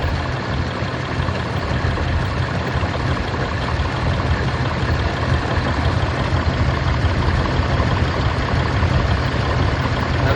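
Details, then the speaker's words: 2021 Ram 2500 Cummins diesel idling with a steady low growl heard from behind the grille; fan clutch visibly wobbling and belt wandering on the pulley, worn fan clutch. "Now, I noticed the noise mostly from right behind the grill. And uh So, I started looking at all the pulleys. And I noticed See that fan clutch wobbling?"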